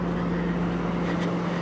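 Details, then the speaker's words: Old police car, parked for years, at idle: smooth, even low rumble with steady hum, no knocks, misses or hunting; healthy settled idle. "This thing is running perfect."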